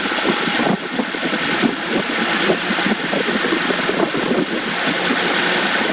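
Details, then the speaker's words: 2014 Honda CR-V 2.4L four-cylinder after spark plug change, A/C on: steady, even idle with no misses or stumbles, A/C clutch may cycle. Normal idle. "it runs good. Got the air conditioner on, so you might hear that clutch turn on."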